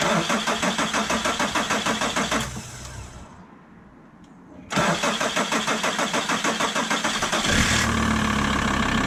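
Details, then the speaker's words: VW Transporter T4 2.5 TDI AJT/ACV five-cylinder diesel, just after swapping original Stanadyne injectors for Bosch ACV injectors, fuel lines primed: brisk cranking, pause, more cranking, then catches into even diesel idle; normal start. "[Music] I'd say that's a win started immediately they've been primed loops"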